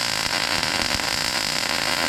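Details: MIG weld with circle/loop technique, pushing with gun pointed slightly ahead, about 3/8 to 1/2 inch stick-out: steady, even frying crackle with no popping, sputter or breaks; a healthy, well-set arc.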